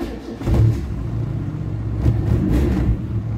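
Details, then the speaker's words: Fiat Premio 1991 after replacing the starter solenoid: a short burst of cranking catches on the first try into a steady low rumble, with no clicking or grinding. Normal cranking and start; the starter now works properly. "Pegou de primeirinha. Só dá uma beliscada, que nem a gente fala, né?"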